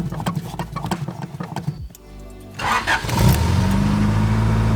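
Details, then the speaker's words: 3rd-gen Honda Prelude after reactivating the newly installed fuel pump kill switch, following failed starts with the pump cut: brief crank, then it catches at once into a smooth steady idle; kill switch works. "Starts right up. So the kill switch definitely works. That's awesome."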